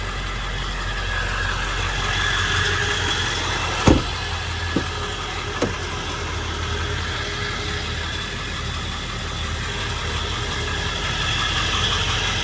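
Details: 1999 Ford F-350 Lariat Super Duty 4x4 with the 7.3 L Power Stroke diesel and 46,385 original miles: a steady low rumble and light clatter at idle, even, with no misses or knocks. Normal healthy idle.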